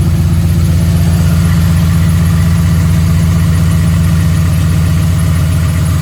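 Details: 2011 Ford F-150 5.0: deep steady knocking about four per second at low even idle; engine knock, suspected rod knock.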